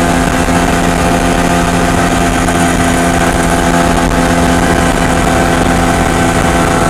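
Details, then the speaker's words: MZ ES 250/2 two-stroke with Bing 84 carburetor after a slightly larger main jet: runs well at full load but a steady drone with ringing hum remains at part load; still lean pinging, larger main jet fitted next. "A plena carga, el motor arranca bastante bien, pero aún se puede escuchar claramente el zumbido a carga parcial."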